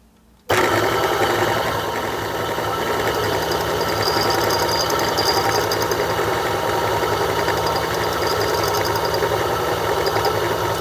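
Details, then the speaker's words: Niche DUO coffee grinder during burr calibration, mic held right up to the grinder: steady motor whir with a faint high chirping scrape as the burrs start touching just before zero; owner keeps this setting. "okay now it starts touching just before zero so I think I'm going to leave it like that"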